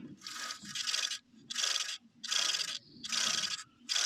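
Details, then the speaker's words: Ford Mondeo Mk3 alternator, removed and turned by hand: rough, gritty scraping in bursts about once per turn with no smoothness; worn-out alternator bearing, also heard on the car. "that's well gone we could hear that on the car but you imagine that turning really fast yeah that's that's the problem"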